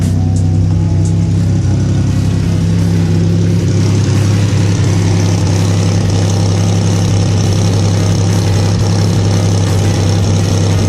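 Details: Buick Grand National V6 at idle after redoing the driver-side exhaust manifold flange with broken bolt: steady lumpy idle with faint uneven ticking puff; still leaking at the flange, exhaust manifold leak.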